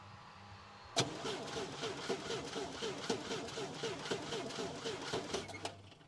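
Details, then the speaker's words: International Scout 80 (1963–65), sat over 10 years, barn find: starter cranks steadily, about four turns a second, for roughly five seconds and never fires; coil has power but barely, plug pulled shows no spark reaching the plugs. "Let me pull a plug out and see if we're getting a spark. We're just not getting spark."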